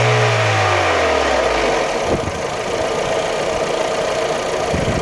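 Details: VW Golf 3 1.6 engine, revs falling back to idle, then a raspy, uneven rattle with irregular knocks over the idle; source not evident.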